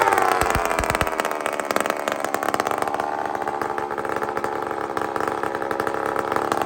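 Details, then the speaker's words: Chainsaw run on straight gas with no oil mixed in: it winds up to a thin, screaming high-pitched rev and holds there without burbling, lean over-revving. "friends Listen to How high this thing screams"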